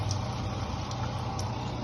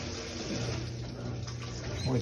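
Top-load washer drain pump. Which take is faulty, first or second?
first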